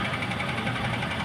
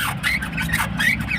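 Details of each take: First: Maruti Ertiga petrol after the left front strut top bearing was replaced: engine idling while the steering is turned both ways. Even running with no knock or creak from the strut; the earlier suspension noise is gone. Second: Maruti Suzuki Ertiga petrol, left front strut (fitted a few months ago) rotated by hand with the link rod removed: short rising squeaks about once a second from the damaged top mount bearing; noise occurred when steering, not the steering rack.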